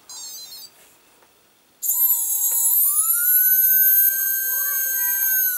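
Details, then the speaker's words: Micro inrunner motor after a faulty bearing that was half out was replaced; it had previously run rough and popping. Now a clean, high whine spools up smoothly and holds steady, much quieter; normal running. "it's much more quieter."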